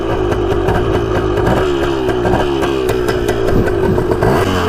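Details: 1980/1981 Yamaha MX175 two-stroke dirt bike, first ride after full rebuild having sat over five years, starts first kick and smokes: crisp ringing buzz picking up cleanly with each throttle blip, no bogging or misfire; running well.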